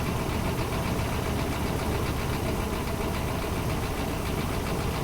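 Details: 4.7L Dodge V8 with flashing oil light, mechanical gauge fitted in place of oil pressure switch: steady, even cold idle, smooth low rumble, no knocking or ticking; 60 psi cold, healthy oil pressure.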